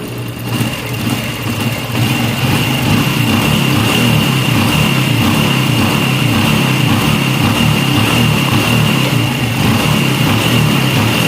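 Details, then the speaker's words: Honda Revo Fit FI single-cylinder motorcycle after repair (hard starting, needed full throttle), started without throttle: an even, steady idle around 1200 rpm with no misses or ticking; valve clearance set to 0.10, piston oversize 50; battery weak at 11 V. "Oke kita Nyalakan motornya ini tanpa harus kita gas sudah enak ini"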